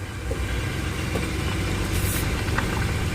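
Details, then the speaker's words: 2004 Ford Explorer after transfer case chain replacement, driving a tight curve with the door cracked: smooth engine and tire drone, faint tire scrub, former banging and clicking gone; chain silent, problem fixed. "now I can hear the transfer pace working and that chain is not making any noise whatsoever which is great so that's taking care of the problem"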